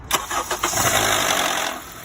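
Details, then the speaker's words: 2011 Honda CR-V K-series four-cylinder, cold morning start: brief cranking then a harsh metallic rattle lasting about a second before settling to idle, typical failing VTC actuator, to be replaced. "this one in the mornings makes a rattling noise on Startup and it goes away in like one second so typically the BTC actuator"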